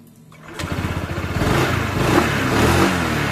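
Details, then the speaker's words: Honda PCX 160 after fitting Yamaha NMAX double clutch linings at 2000 km, lightened rollers and reassembled CVT cover: engine revs up smoothly with even drone, no marble-like rattle as before; CVT sounds healthy. "nah suara PCX saya halus teman-teman nggak ada suara kelereng nggak seperti sebelumnya"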